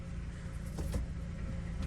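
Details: Power steering check with engine idling at about 26 degrees outside, reservoir cap off to let air escape, wheel turned lock to lock about four times each side: low steady rumble, no squeal or whine; normal power steering operation.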